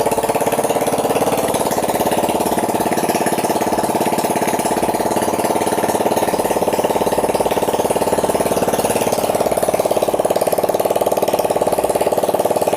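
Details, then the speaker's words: Yamaha Mio J injection scooter starting and idling evenly at about 214 firing beats a minute with no misses, after the faulty pulser coil was replaced (a substitute pulser fitted). This confirms the pulser caused the no-spark no-start. "Oke, Teman-teman. Motornya sudah bisa hidup. Berarti permasalahannya ada di pulser ini ya."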